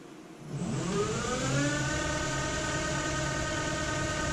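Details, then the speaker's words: Wood lathe turning an open-segment vessel with steady rest using flat skateboard wheels on trued rings. Whir rising in pitch while spinning up, then steady even tone with no knocking or shudder: smooth running, only wheel noise. "you hear the noise of the wheels, huh? That's it, it runs smooth."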